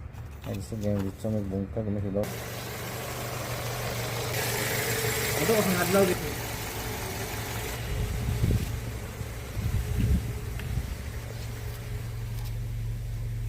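Engine catches and settles into a steady, even low idle with no misses or knocks; the engine runs normally.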